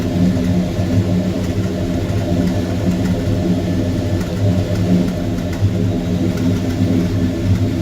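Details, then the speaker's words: 1972 Monte Carlo V8 with Quadrajet carburetor, about 41,000 miles, idle: steady even burble, not too loud, no misses, knocks or ticks; owner says it sounds good on the highway too; normal idle. "a nice little sound to it it's not too much and then when I'm on the highway in it it sounds pretty good"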